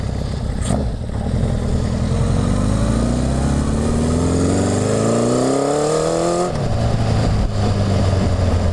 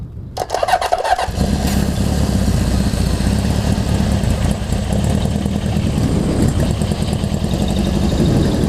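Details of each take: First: Honda CB750 after full engine and carb rebuild, first test run, cold (about 50°F), no airbox, pilot jet tuned: revs climb and back off with exhaust crackle and pops on throttle change; probably needs needle and main jet adjustment. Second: Honda CB750 four after a full engine and carb rebuild, first start for a test ride, cold (about 50°F), no airbox: the starter cranks briefly, then the engine catches and settles into a steady even idle with no misses or clatter; normal idle.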